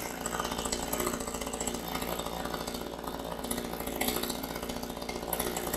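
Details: Chinese 25.4 cc two-stroke chainsaw, new, during running-in, restarted after a cool-down break with half a tank of fuel, not yet run to full throttle: steady buzz at moderate revs, even and unbroken without misses or surging; normal running.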